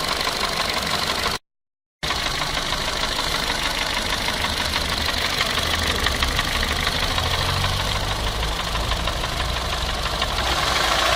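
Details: Renault Clio 2 at steady idle with a fast, fairly even metallic tapping about three times a second, persistent, source not pinned down; engine knocking noise.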